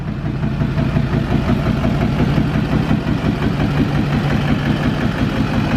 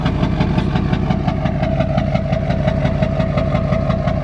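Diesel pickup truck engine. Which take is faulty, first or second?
second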